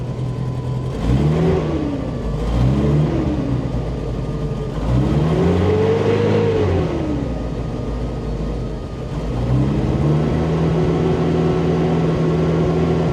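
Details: Bombardier Bombi with Holley Sniper 1100 fuel injection, after exhaust manifold crack fix, open loop, revved up and back several times: note wavers unevenly between blips. Still loping, cause unconfirmed; owner considering new ignition coil; engine later stalls unexpectedly.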